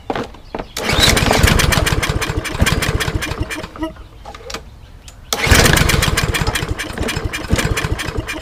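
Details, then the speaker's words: Toro Recycler mower, Briggs & Stratton EX engine, cold first start after flushing water from the gas: runs roughly with an uneven beat, stumbles almost to a stop, then picks up; flooded by too much two-cycle oil mix shot in, smoking while clearing. "i flooded it it was two-cycle um gas that i put in there with oil and i put way too much in there so uh i'll let it run and um smoke will clear up and then i think we'll be good to go"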